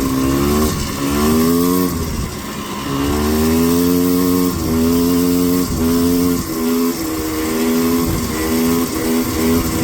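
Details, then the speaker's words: Four-wheeler two-stroke riding with no choke, starter fluid used: pulls through repeated throttle bursts but sounds flat, labored and bogging at full throttle, slower than down in the valley; jetting suspected. "You guys can probably also hear it when I go full throttle. It sounds like it wants to bog down the whole time, but it's still like, it still goes in full throttle."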